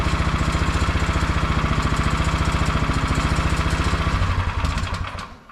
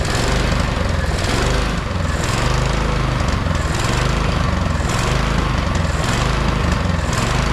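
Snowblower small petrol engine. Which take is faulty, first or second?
second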